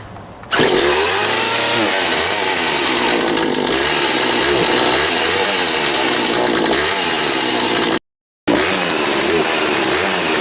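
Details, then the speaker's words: Poulan 42cc two-stroke chainsaw after a complete teardown and rebuild, started on half choke once cooled, with a heavy-oil break-in mix. Revs are ragged and sag and recover at full throttle, so it bogs; bad gas is suspected but not confirmed. "You can hear it's still, it's got some bogging when you give it full throttle. Maybe some bad gas."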